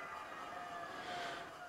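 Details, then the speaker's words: Sparta Maxx 70 e-bike with 48V front hub motor, after the broken yellow wire was repaired with heat-shrink: a steady, even electric whine at full throttle with no stutter; normal hub motor run, problem solved. "dit ja dat werkt ook nog en als ik hem op zijn allerhardst zet Ja dat is prima probleem opgelost"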